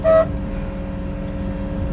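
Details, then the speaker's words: 1978 Porsche 911 SC Targa, 160,000 miles, idling: clean steady quarter-second honk over the engine; horn works properly. "brakes feel good the brake has a really good brake pedal stops pretty good what else the horn works"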